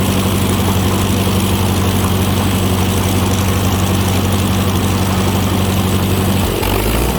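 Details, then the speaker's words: Ford 515 sickle mower on a tractor, first easy test cutting grass after shield refit: steady low drone with an even chattering cut, no knocks or squeals; mower working normally. "i'm gonna start off easy you know i'm in rope here it's all easy just cutting some grass"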